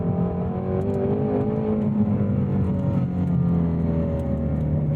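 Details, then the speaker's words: 2018 Ford Mustang Shelby GT350R, 5.2L naturally aspirated flat-plane-crank V8, no mods, driving: strong V8 drone with a faint buzzy rattle and vibration through the shifter that comes and goes at certain rpm; shifter rattle, cause unknown. "You can hear at certain RPMs, you're gonna hear some rattling and vibrations coming through the shifter here."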